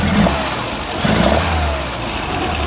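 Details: Pinzgauer air-cooled four-cylinder, a little cold, after twin-carb synchronization; steady idle with a slight throttle lift, no stumble or popping, no black soot, runs smooth.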